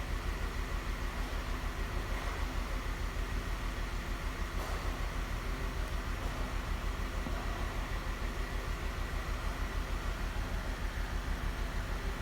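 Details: 2012 Jeep Wrangler 3.6 Pentastar at idle, before repair: regular stumble a bit over twice a second under a low rumble; P0303 misfire on cylinder 3, with the cylinder 3 coil connector found broken.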